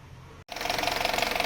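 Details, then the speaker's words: 2018 Honda WR-V at idle: fast, light metallic ticking, regular like a small hammer, easily confused with injector noise; traced to the belt tensioner, not engine internals. "tem um batidinho fino como se fosse um martelo o barulho dos bicos injetores no bico talvez confunda bastante mas eu acredito que se vocês perceberem direitinho dá para ouvir"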